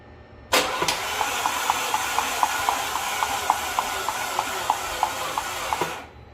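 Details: Audi 2.0T engine, fuel system disabled, first crank before compression test: starter grinds over steadily with about four sharp ticks a second, sounding sluggish; owner suspects a weak booster pack.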